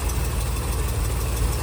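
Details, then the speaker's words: 1969 Chevrolet C30 one-ton with a cleaned (not rebuilt) carburetor and good oil pressure, idling: a faint, quick tick in time with engine speed. The owner suspects an exhaust leak or a need for valve adjustment; unconfirmed. "made a little tick. So, might either have an exhaust leak or maybe we need some uh valve adjustment."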